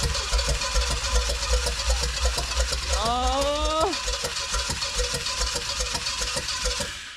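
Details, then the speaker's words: 1969 Pontiac GTO, apparently a Pontiac 350, sat 35 years, cranked after a battery charge: starter churning with ragged firing pops two to three a second, never running cleanly; owner thinks the starter keeps it going and the cam is badly worn. "Oh, it's getting there. Oh, it's getting a couple pistons. Oh, it's like right there."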